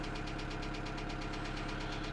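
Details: 2008 Kia Sedona 2.9 CRDi diesel (J3), P0016 crank/cam correlation code returns: sharp metallic knock about eight per second at idle over the clatter; jumped or faulty timing chain suspected, not confirmed.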